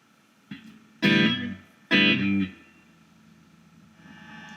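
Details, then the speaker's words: Studiomaster RST Valve Leadmaster 60 tube guitar amp with Accutronics spring reverb tank under test, Fender guitar playing; steady low mains hum under chords and reverb crashes, amplifier hum attributed to reverb tank proximity pickup, suspected not confirmed. "hear there's a hum. And the thing about reverb tanks is it's always to do with proximity."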